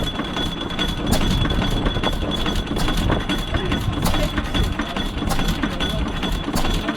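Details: Fairbanks Morse Z series 6hp single-cylinder engine, unpainted raw-steel exhaust, running steadily on petrol after a hard start from an overfilled starting reservoir, possibly a bit rich: low steady thumping, occasional metallic clinks over a rough even drone; normal running.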